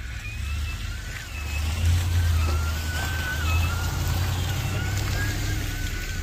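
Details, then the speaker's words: Truck driving slowly: thin, wavering high squeal over low engine and road rumble that grew louder overnight, traced by ear to the passenger-side front wheel hub area; brake pad wear indicator ruled out; wheel hub squeal. "so that squealing got louder and louder throughout the night so I had TQ drive the truck around a little bit in front of me got real close to the truck and to me it's coming from the passenger side wheel hub area"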